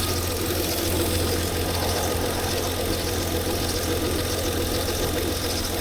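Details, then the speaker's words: 2003 Hyundai Sonata after an uncloned PCM replacement: steady low idle with a faint hiss over uneven, stumbling pulses; audible vacuum leak near bent parts causing misfire, engine light on. "does have a vacuum leak right around here somewhere. I can't see it, but I can hear it. This thing's not running good. She's misfiring pretty good."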